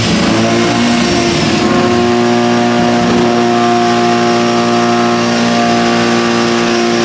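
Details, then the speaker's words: Lamborghini Diablo replica with 13b turbo rotary: strong, even rotary drone holding steady pitch under throttle, no misses; normal running. "we fixed that the car as you can hear is now running it's so exciting to hear the motor running that way"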